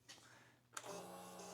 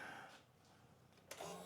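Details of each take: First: Old motorcycle unrun for years, new battery, tip-over sensor being repositioned: soft click then quiet steady electric hum of fuel pump priming; normal prime, though engine then cranked without firing. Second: Crashed 650 motorcycle, around a 2011 model, that has sat unused: a steady starter churn of about three turns a second that never catches; a spark tester shows no spark, and a tripped tip-over sensor from the crash is suspected.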